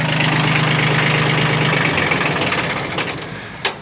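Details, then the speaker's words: Kubota B1502 Japanese mini tractor diesel with rotary tiller, 15 hp: steady, even idle beat, then quietly winding down at shutdown, no knocks; normal healthy idle. "dmitry работает ровно четко"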